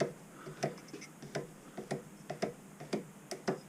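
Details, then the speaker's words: SPV SAR50 automatic tapping head, MT2 taper, second-hand, after adding Allen screws in clutch springs and tightening; evenly spaced ratcheting clicks about 2.5 per second, ball clutch still slipping. "That's a lot tighter than it was, and that's still slipping."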